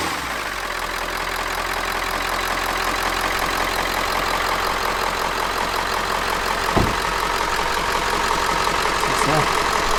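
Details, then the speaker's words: Ford E350 4x4 van, 7.3 liter diesel, just started, not yet at operating temperature. Steady even clatter at constant idle, no misses, surging or knocks; normal smooth cold idle. "I guess the good news is it runs it runs really well it idles really smooth and it's not even up to operating temperature"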